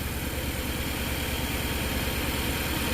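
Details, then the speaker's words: Nissan NV3500 engine, started after battery sat dead about 1.5 years; factory fuel pump called garbage: steady idle with uneven loping beat about twice a second and faint stumble, clearing up somewhat; rough idle. "Engine sounds good, but it's a little rough."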